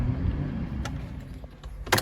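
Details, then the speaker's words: Ford Transit 2.2 FWD diesel after a full engine overhaul: it now idles low, even and smooth with no cylinder-2 knock. The knock stayed after testing and swapping injectors and was cured by a replacement ECU with the key programmed and adaptations done. "Плавный звук, звучит отлично. Ну вот и всё , поехали."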